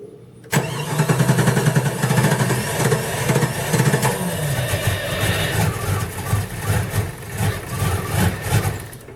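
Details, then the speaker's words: Chrysler 318 (5.2L V8) Jeep ZJ, full-time 4WD, cold start below about 50°F after key-on fuel pump priming: long cranking with ragged firing before it finally catches. Starts fine warm or above 60°F. Most sensors replaced; owner suspects the ECM, cause unconfirmed. "well I can keep on doing that he'll finally crank and win the smooze out it'll run fine and then once it gets warm rest of the day it'll crank and run perfect"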